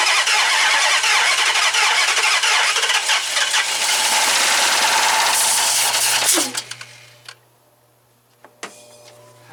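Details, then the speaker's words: 2005 Dodge Magnum RT Hemi, two dead cylinders, spark plugs refitted: even starter cranking about 230 beats a minute for six seconds, never catches; fuel line test sprays nothing, no fuel pressure, fuel smells terrible. "So we're just going to do this the old-fashioned way. We don't really need to see what the fuel pressure is as much as we just want to know if there's fuel pressure. But let me get it. I'm going to go with there is nothing sprayed out."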